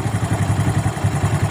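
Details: Suzuki Smash single-cylinder after carburetor setting, air screw set for highest revs (just under two turns), then idle screw lowered: slow steady putter of about eight even beats a second, no hunting, normal idle.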